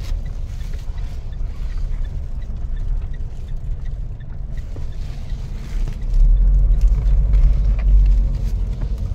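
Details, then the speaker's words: Mitsubishi Montero driven over bumpy, rough road after fitting insulators to the rear coil springs to cure rear knocking and creaking: steady low road rumble with no clunks or knocks from the rear suspension. "sir Wala sir Wala na ox na mga kabok ox na ox na sir"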